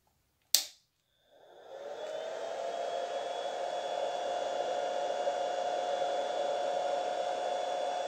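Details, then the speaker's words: Cheap 500 W power inverter with no load and no automatic fan control: after a click, the cooling fan builds to a steady whirring hum with a faint tone and runs constantly at full speed. "an expensive power inverter fan is automatically operated by the inverter itself this makes them silent in such a power inverter fan is on when there is too much load running otherwise the fan is off or moves very slowly so it did not make any noise"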